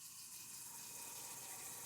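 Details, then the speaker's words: Truma instant hot water heater in an Alliance Delta RV, full hot water at full pressure: steady rushing water with even hiss, no knocking (knocking occurs only at low pressure); normal operation at full flow. "See, as soon as you're on full hot water and at full pressure, we don't have the issue."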